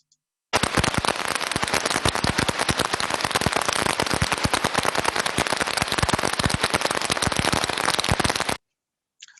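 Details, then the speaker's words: Heterodyned ultrasound recording of conveyor idler bearing number four, far worse than bearings two and three. Dense, irregular crackling impacts around three per second. Severe bearing defect. "as we can see number four is looking a lot worse than any of the other bearings"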